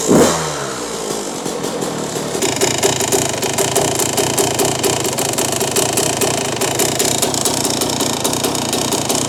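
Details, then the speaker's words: 2001 Yamaha YZ125 two-stroke: after one short blip it settles into a crisp, even, buzzy idle with no loading up or stumbling, after dropping the pilot jet from a 25 to a 20; normal idle. "Had to jump that pilot jet down from a 25 down to a 20, and now it's idling perfect."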